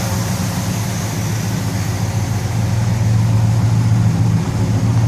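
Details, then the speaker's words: 1964 Chevelle Malibu convertible V8 idling as the lifters pump up: steady, even low rumble, exhaust sounds good with no leaks and no smoke; normal idle. "see what it sounds like once they get all pumped up the exhaust sounds good don't hear any leaks don't see any smoke"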